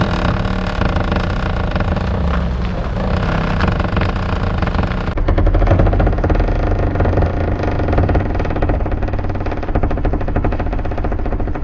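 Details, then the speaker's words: Alfa Romeo Giulia Quadrifoglio on winter tires, reversing slowly at full lock. Manoeuvring noise turns to a rough, rhythmic scraping as the tire rubs the bumper. It happens only in reverse at low speed, never when driving fast. "so and it only happens in reverse and it only happens at low speeds when you're driving the car fast nothing like this happened"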